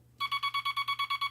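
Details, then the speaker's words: Telegraph bug keyer with dot stabilizer installed and dot contact readjusted: crisp evenly spaced dots about eight a second, definite start and stop, no scratchiness; clean dots. "Now you can hear a definite start and a definite stop,"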